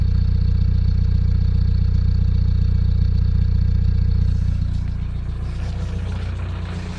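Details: VW TDI 90hp diesel revving up and settling: regular light tick about three per second over the engine note, since a 600 km trip 5 months ago; new lifters, injectors changed, oil pressure OK, oils tried. Owner suspects wrist pin play; unconfirmed.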